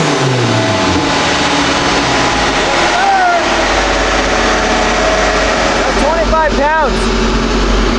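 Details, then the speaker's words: Turbocharged Acura RSX Type S on dyno, spark plug gap cut to about half of OEM: loud steady full-throttle drone, smooth to the top with no popping or misfire; clean pull, but boost hit 25 lb, so the wastegate spring needs changing. "and so that last pull super clean but it hit 25 lb and I said that is way too much we don't want that as the base spring pressure"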